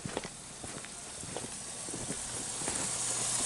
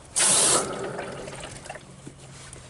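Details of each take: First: Pump house of an above-grade water tank after a 13-degree night froze the pump: hissing spray grows louder over seconds as water gushes under pressure from a broken sediment filter; fixed by replacing the filter with plain pipe. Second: Solar pump water tank plumbing repaired after freezing, broken sediment filter replaced with plain pipe, on turning water back on: a short rush, then a soft steady trickle with no spurting or hammering; water flows normally, no leaks at the pump.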